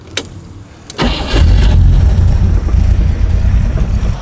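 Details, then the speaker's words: Rover V8 3.9L after distributor replacement, static timing set at 3 degrees: catches after brief crank and settles into a slow, lumpy, deep idle at only about 300 rpm, far too low; idle needs raising to about 800 rpm. "now check with the strobe light where the marks are but what I do see on the engine right now it's running really low it's only running about 300 rpm so the first thing to do is to adjust the engine to about 800 rpm"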